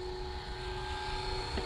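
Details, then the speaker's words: Philips pasta maker extruding after EEEE error reset: steady motor hum with high strained whine labouring against stiff dough, little pasta coming out; dough too dry and hard. "So you can hear the motor struggling. Little bit of pasta coming out. This is very dry."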